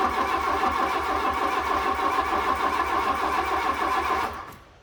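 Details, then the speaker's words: Fiat Punto GT not started for a long time, cranking sluggishly about three and a half beats a second for four seconds with no firing, turning over slowly; likely no fuel, with a code light flashing on and off. "not starting. Just seems to be turning over a bit slow as well."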